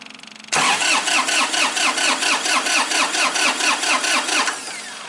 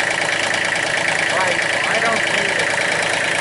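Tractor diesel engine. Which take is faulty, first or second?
first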